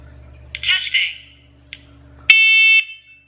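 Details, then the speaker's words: First Alert 10-Year Life smoke and carbon monoxide alarm on test, rated 85 dB: piercing high-pitched blasts about half a second long with short gaps; the alarm sounds normally. "by the way the loudness was 85 decibel so for those people just tears if that's loud enough for them 85 decibels"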